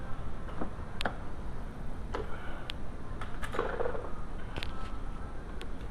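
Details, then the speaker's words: 2006 VW Jetta 2.5L, passenger door sometimes fails to lock, no fault codes; mic held close to the door: faint gear whirr from the door control module and lock clicks, some attempts barely catching; sporadic lock actuator. "That's the gears in the door control module. So it is unlocked right now. Locking. See, it locked again. Unlocked. Locked. So it's sporadic."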